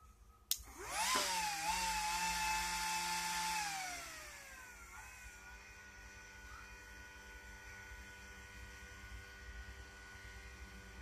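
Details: Delta Electronics DPS-980CB A ex-IBM server switching power supply (76 A), modified with a trimpot to adjust output to about 13.2 V; a thin fan whine climbs, holds, then falls to a faint hum. The cause of the whine is suspected, not confirmed.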